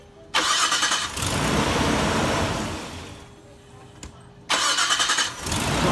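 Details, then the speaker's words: Engine cranks and starts promptly with a battery charger hooked up: brisk starter whir under a second, then it catches and runs, twice. Without the charger it sometimes only clicks; low battery voltage, not the starter, is the cause. "every time it starts with the charger, but not every time without it hooked up."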